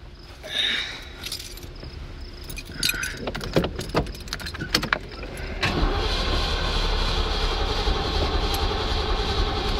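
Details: Ford Mustang after a dead battery and flooded carburetor: keys and handling clatter, then engine catches around six seconds and holds a steady, even idle without stumbling.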